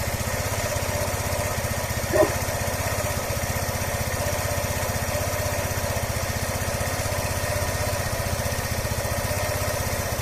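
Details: Yamaha SR125 (1996 bike) with replacement 1999 engine, same 10F code, 10,800 km, idling with a steady, even low single-cylinder thrum and no knocking after swapping out the knocking original engine.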